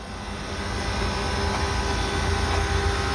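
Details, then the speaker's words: MG ZS EV under the bonnet on a warm day after a motorway trip: steady even hum with a faint constant whir of coolant circulating; normal coolant pump running. "it's yeah evenly you can hear that coolant going on there"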